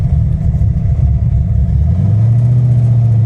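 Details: V8 tuned with an ACES Killshot kit, learn set to 15% compensation: a deep, even burble drops back and settles into a smooth, steady idle within a couple of seconds, with no stumble or hunting. Normal idle.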